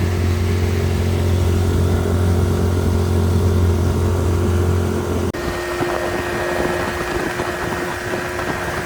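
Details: 25hp Mercury two-stroke outboard on a 14ft mod-V jon boat, after carb cleaning and replacing a leaking gasket that caused an air leak: steady, even buzz that settles cleanly without surging or hunting; running healthy.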